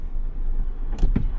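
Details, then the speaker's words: Mazda 3 door: quiet background, then a single sharp click when the door is opened with a hand resting on it, as it contacts the lock; no click without the hand; not fixed after dealer service, sent back in. "听到没有咔的一声你手没搭在上面它就不会响对吧"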